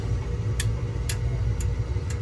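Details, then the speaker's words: Goodman gas furnace showing E2 error (low-fire pressure switch open), inducer Molex connector unplugged with voltage confirmed: sharp control-board relay clicks about every half second over a low hum, no inducer spin-up; inducer motor verified dead, later replaced along with pressure switch. "And shortly thereafter, with the E2 error, which is low pressure switch, is still open. It's not closed. The circuit is not closed. So, verified bad motor."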